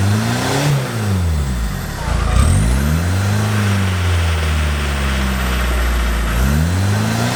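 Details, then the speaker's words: Peugeot 306 Meridian 2.0 HDi with new custom stainless exhaust with extra boxes replacing rotten original: deep, even rumble rising and falling through revs, no leaks; a tight, healthy exhaust. "just got a nice rumble to it it's good i like that"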